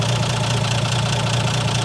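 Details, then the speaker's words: 1980 Plymouth Volare slant six, sat for years, started easily without pumping the gas after fixing a bad battery cable connection: low, even idle with a steady purr, no knocks or misses; normal idle. "It just sits there and purr. I mean, how can you beat that?"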